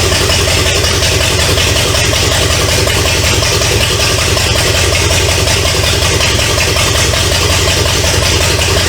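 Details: 1970 Pontiac LeMans with Pontiac 350 V8, abandoned for decades, first start, running without coolant through open exhaust: loud raspy idle with steady rhythm, no knocking or missing, until it ran out of gas; normal idle.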